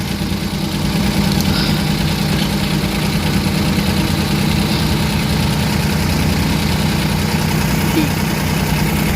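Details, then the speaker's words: Suzuki mini van DA64/DA63 K6A three-cylinder at idle with aircon switched on: low, uneven shudder and slight loping because the idle-up valve is clogged and not raising idle; valve to be replaced. "Pag i-on na nating aircon i-on nating aircon yan balik so Nanginginig na siya ayan o So ibig sabihin yung ID up hindi gumagana o Barado na to"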